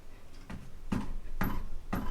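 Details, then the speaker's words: Toyota Tacoma underslung full-size 33-inch spare tire knocked by hand: four dull knocks each with a thin tinny high squeak, the rattle heard on trails and bumps; owner suspects the spare is loose and will tighten it. "and you can hear the high-pitched squeak that's what i'm hearing rattling whenever i'm out going on trails or hitting little bumps and stuff like that so i'm pretty sure it's just a spare tire just loose"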